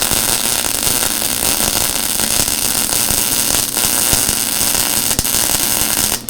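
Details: Lincoln Electric Handy Mig after about 6–7 months of use, welding a poorly cut joint: steady frying hiss broken by irregular pops and crackles where the gap is much larger. Erratic MIG arc popping.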